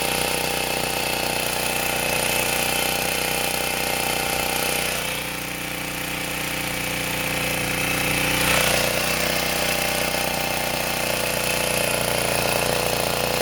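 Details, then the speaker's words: Sportsman 2000 W four-stroke generator loaded with a 1500 W space heater: steady drone dips in pitch and recovers every five to eight seconds as the oversensitive governor overreacts and bogs the engine; spring to be moved. Governor hunting under load. "e problem I think with the governor is that it's too sensitive so I'm going to move the spring to here and hopefully that'll make it CU because what happens is it responds too violently and then it buls the engine down"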